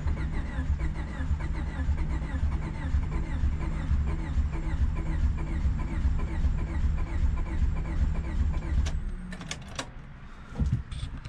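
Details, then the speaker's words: Honda Civic D-series turbo build (cheap eBay turbo), first start attempt after a year of building and oil priming: steady cranking about 2.5 beats a second for nine seconds, almost starts but never catches; fuel problem suspected. "almost started all right we're gonna try to put some starting fluid to see what happens"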